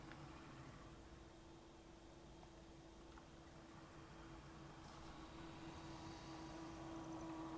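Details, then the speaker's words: Accurascale Class 60 model locomotive after oiling and a 20-minute run-in: very quiet even running with a faint steady hum, no squeak; almost silent, should improve with more running in. "It is almost silent now. Still a little bit more work to do running, and I'd say as it runs on in the future it should get better, but I think that's it."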